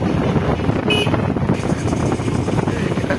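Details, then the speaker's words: TVS Stryker 125cc motorcycle on a petrol mileage test with 100 ml of fuel, ridden in economy, running dry after 188.5 km: engine surges and drops unevenly under wind roar, bike bucking and cutting out; sputtering from fuel starvation. "আপনারা শুনতে পাচ্ছেন বাইকের ধাক্কা দেওয়ার। আমার বাইকটা আর সামনে যাচ্ছে না, দেখছেন অটোমেটিক বন্ধ হয়ে যাচ্ছে।"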